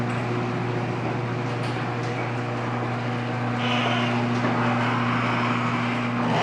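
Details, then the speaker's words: Linear garage door opener (model unknown) run by an MCT-3 remote, before lubrication: steady motor drone with a rough rattling, squeaky overtone as the door travels. The door needs lubrication. "It's the MCT-3 remote, and we're gonna give it a run so you can hear the noise before it was lubricated here."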